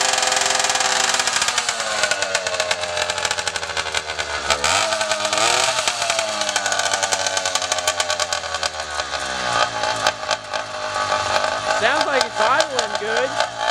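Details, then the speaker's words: 80cc Walmart motorized bicycle two-stroke after rebuild with new carburetor and exhaust, first run: buzzy note picks up cleanly and holds with a slight rattle around it; running fine. "sounds like it's hling good"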